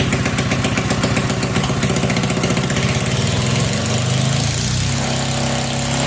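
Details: Small 1100 W generator of unknown make (Briggs suspected), 6/12 V DC output, started indoors in cold weather with about 1000 W of lights plugged in; loud open-exhaust bark settling into an even governed run, sounds healthy.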